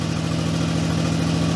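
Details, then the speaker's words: Turbo Toyota 2JZ: steady, even drone held high at about 1500 rpm with no dip or hunt; high idle because a vacuum leak, only covered with duct tape, is back. "exhaust on this thing seems to be running a little high back at like 1500 uh things because my vacuum leak is back because uh it's covered with duct tape"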